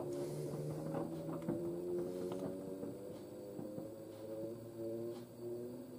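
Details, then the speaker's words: Washer dryer on its final spin: a steady hum with even, unchanging tones and no knocking, running smoothly; shock absorber knocking was heard just before. "sounds smooth i mean it will get smoother as we go along"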